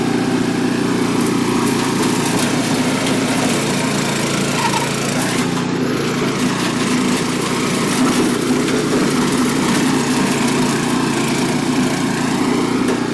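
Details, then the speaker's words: Troy-Bilt Horse tiller after renovation, test tilling in low gear set deep: engine holds a steady, strong drone under load with no bogging. Brief belt squeal when the tines hit a rock; belt may need slight tightening. Otherwise running well. "I'd say that works working pretty good. I did hear a little belt squeal there at one point where the sounded like a tiller hit a rock, but the belt probably could stand to be adjusted up just a hair, tightened up with that little block, but I think it's going to work pretty good."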